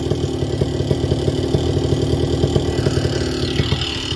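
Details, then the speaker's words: Vittorazi Moster 185 paramotor two-stroke, already warm, low needle just leaned, no throttle: even rapid putter whose rpm slowly climbs, starting much better; slightly lean idle mixture makes revs hang and rise. "i just leaned it out we'll see how it starts the motor is also already warm by the way so it started much better you can hear the rpms increasing"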